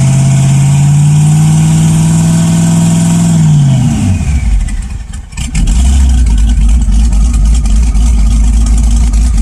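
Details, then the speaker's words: LS1 V8 swap, sloppy stage 2 cam, turbos not connected so essentially naturally aspirated, 3200 stall converter: deep steady note near stall, creeping at 2600–2800 rpm against brakes, eases off cleanly; AFR 13.0, healthy fueling. "it does seem to have good fuel it's supposed to be a 3200 stall but around 26 2800 it starts to creep and push through the brakes"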